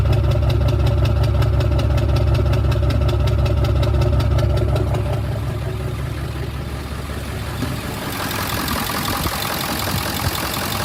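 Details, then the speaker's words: 7.3 Power Stroke diesel V8, hard starting and blowing oil from the exhaust after BD turbo and injector seal work: lumpy idle with rhythmic stumble, misfire reported on cylinders 2, 4 and 8 though the buzz test passed. "So I'll start it. I've got cylinder 2, 4, and 8. It says it's a misfire, but the buzz test is alright."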